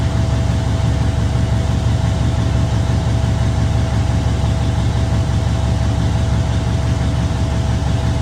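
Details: Truck diesel after an in-frame overhaul and injector replacement; a deep, steady idle with even firing and a faint constant hum, no misses or knocks, oil, fuel and air pressure and alternator all good.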